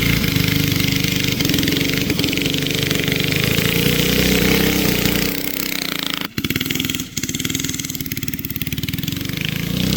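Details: Barn-find race go-kart with an original flathead Briggs & Stratton that once ran alcohol, now on E85 after sitting 30+ years; the single buzzes with rapid popping, then suddenly stumbles and drops revs before recovering, bogging. Carburetor issues suspected.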